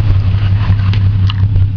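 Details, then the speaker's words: 1992 Ford EB Falcon, recorded at the tailpipe at idle: deep exhaust drone with uneven puffs and small gaps, a dead miss; low cranking compression found, blown head gasket suspected, checked by cylinder balance test. "that here that miss really can't hear very well but the easiest way to check where a miss is coming from is without getting zapped is a cylinder balance test"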